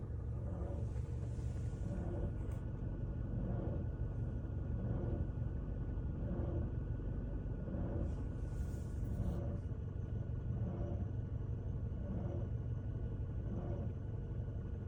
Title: Toyota Scion xD weird noise from A/C compressor